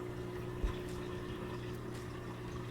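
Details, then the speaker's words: LG washer-dryer combo after drain motor replacement and bending back a misaligned terminal for good contact: low steady pump hum with water gurgling and flowing; drain pump runs and empties normally. "now when I checked for the drain function I could hear the drain motor kick in I could see the water draining out"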